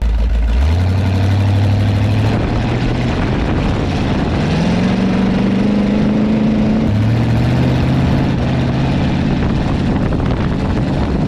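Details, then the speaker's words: Car on a test drive; low droning vibration rises and falls with speed and throttle changes, noisy on unload. Owner says something is loose in the gears and suspects tail shaft output vibration, not confirmed. "something is very wrong in the gears I don't know what it is but something's way loose like it's making all kinds of noise like you can hear the difference when you like throttle it up and down"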